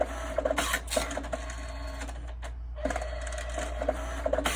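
Motor whirr with regular light clicks and short feed bursts, no grinding or stalls; paper is threading cleanly and normally.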